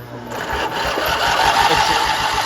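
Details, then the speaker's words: Engine unused 25 years, starter removed and bench-tested powered directly by a battery charger's engine-start function: fast, steady buzzing whir with even chatter and no grinding; starter spins freely and works. "I've hooked up this battery charger, engine starter, directly to the starter and to ground. And I'm just gonna turn it on. That works."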